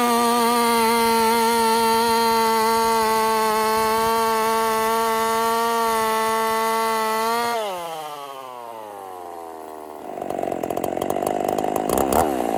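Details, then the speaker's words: Husqvarna 50 Partner 5000 hybrid race chainsaw, first cuts after a rebuild with a machined piston taper: held at a clean, steady high rev, then drops off smoothly and rattles back into wood too big for the bar. Normal running. "so let's give her some Cuts this wood is way too big for this bar but we're going to run it anyway"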